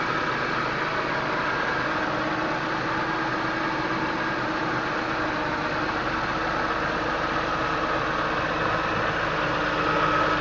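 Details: 2001 BMW M3 straight-six with over 200,000 km, cold start after a week sitting, heard under the hood: quiet, smooth purr with no ticking from the Vanos; valve clearances were within spec at last inspection.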